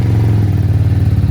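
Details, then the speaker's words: Venom x22r 250cc single-cylinder motorcycle on its first start, cold on choke, held at about 1/8 throttle: quick, even thumping just above idle, steady and without misses; normal cold warm-up. "So say about an 1/8 on your throttle with your hand. Just let the bike rev up, not high, but warm up. And then you can remove your choke."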